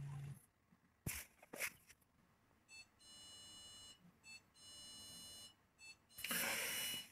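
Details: Whirlpool 6th Sense PowerClean WFC3C24PX dishwasher, about six years old, red tap logo after about 2 minutes: short high beeps, long steady tone, one chirp; no-water-inlet error, suspected missing power supply, unconfirmed.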